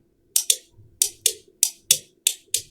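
Crisp dry clicks, about nine in three seconds, as the contacts pull in and drop out; relay switching normally.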